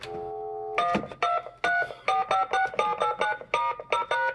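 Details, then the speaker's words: BK Precision 1050 telephone analyzer buffering dialed digits at about 2 per second: string of short, clean two-note DTMF beeps; tone dialing works properly. "how they're slowly coming out? I think it's 2 digits per second is the rate. So that works well."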